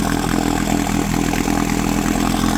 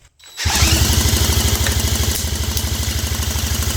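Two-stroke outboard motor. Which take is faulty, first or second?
first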